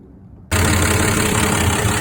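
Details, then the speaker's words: 1966 Dodge Dart GT, Slant Six 225, after repairing the exhaust manifold leak: engine catches and settles into a steady even idle, no ticking or puffing or blowby felt at the manifold; leak appears fixed. "Well, hopefully you can hear me. Um, I think that we uh have finally solved this. Uh, I do not feel any blowby here."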